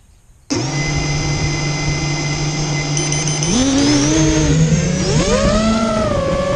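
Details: Immersion Vortex 250 Pro quadcopter motors on test run after fixing bad bearing sounds, which the owner thinks are fixed; one motor slightly warm: clean whine climbing and falling smoothly with throttle, no gritty rasp or rattle. Normal running.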